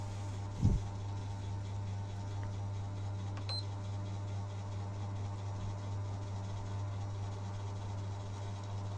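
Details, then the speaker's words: Sony PS3 after fan replacement to cure noisy grinding vibration at startup and slow loading: low steady hum of the cooling fan running smoothly, heard up close, no rattle or vibration, normal quiet fan. "oke Sepertinya di sini sangat halus sekali ya tidak tidak terdengar suaranya sama sekali ya tidak ada suara Getaran seperti tadi kita coba dekatin pes-nya yaitu suara kipas normal ya seperti itu"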